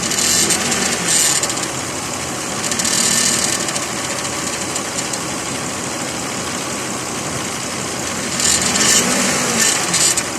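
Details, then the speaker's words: 2006 Lexus ES330, 3.3 3MZ-FE V6, running: harsh metallic buzzing rattle in waves near the alternator and AC compressor. Cause: an oversized upper alternator-bracket-to-torque-mount bolt not fully threaded in; holding it stopped the noise; fixed with a 14 mm bolt. "I discovered that the upper bracket bolt that linked the alternator to the torque mount of the engine was the wrong size, and as a result wasn't tucked all the way in. To be sure I had my culprit, I held it firmly and all the strange metal on metal noise vanished."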